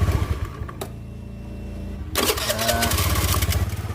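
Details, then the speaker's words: Honda Beat scooter with new battery after starter dynamo repair (ground wires refitted): starter cranks and the engine catches cleanly, running with an even steady beat; the previous "nguk nguk" starter noise and jamming are gone. "Nah, masalahnya sudah teratasi ya. Suara ngak-ngikuknya dan macet dinamo starternya sudah hilang."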